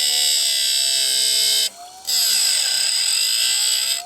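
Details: Wood-Mizer automatic bandsaw blade sharpener, run outside at speed setting 3, for LT40 sawmill blades: steady high-pitched electric whine with short break then even resumption; running smoothly, run slowly to avoid heating the blade.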